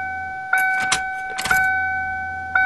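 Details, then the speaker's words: 1994 Ford Taurus wagon electric fuel pump, primed after adding gas: steady, fairly high hum with a few clunks and rattles; pump sounds quieter, running and drawing fuel. "oh the fuel pump is sounding quieter so sounds like it's sucking gas"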